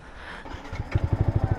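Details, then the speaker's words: Yamaha XSR 155 motorcycle with the pipe reinstalled to avoid fines, short rev then idle: soft even thump about thirteen pulses a second, no blare or rasp; exhaust now quiet, normal. "Wala na, tahimik na yung motor natin. Let's go. Yun na, napakatahimik tahimik ng pipe natin."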